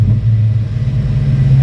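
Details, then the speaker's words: Engine on E85 after a new throttle body install, throttle warning gone: deep, steady low idle rumble with an even beat and no misses, whereas it wouldn't idle before; normal idle. "And it's idling. It wouldn't idle before. It wouldn't do nothing."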